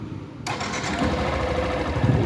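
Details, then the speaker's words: Motorcycle after service (new battery, rectifier not at fault): starts at once on the first crank, settles into a steady even idle, earlier strange fuel pump noise gone, only normal pump sound. "a moto liga de boa, de primeira. Não faz aquele barulho, ó. Um barulho comum de bomba mesmo, normal agora."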